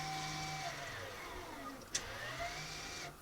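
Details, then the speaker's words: VW Passat B7 after rear caliper work: the electric parking brake motor winds out as service mode is exited in the Carly app. A steady whir for about three seconds dips in pitch, then stops cleanly. Normal operation, reported successful. "So now, instead of entering service mode, we're going to leave service mode."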